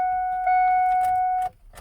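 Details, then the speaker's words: Ford F150 that won't start: theft light flashing with a new non-chip key, a steady chime for about 1.5 s, then no starter click or crank; anti-theft system active preventing start. "i got nothing when i turn the key because theft is active that's a brand new key"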